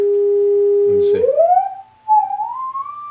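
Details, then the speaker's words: Fender Vibro Champ guitar amp after power transformer fault diagnosis, new 750-ohm 6V6 bias resistor, audio generator signal with tremolo on: clean steady test tone and smooth pitch glides, plenty of volume, no crackle, hum or dropout; amplifying properly. "You can already hear the audio kind of bleeding through a little bit. There's the output. Tremolo's on. Plenty of volume."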